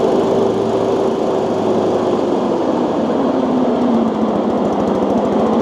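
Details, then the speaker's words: Exmark Metro 36 mower, roughly 20 years old, throttled down to about half with blades engaged: loud, rough whirring rattle from worn blade spindle bearings, heard before replacing the spindle assembly. "You can hear when I power the motor down to about half throttle while the blades are on, just how loud those spindle bearings are."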